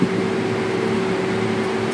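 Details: Carrier EasyCold control unit after replacing a bad fuse: steady, even fan hum with a faint constant tone and no scraping or rattle; normal blower operation.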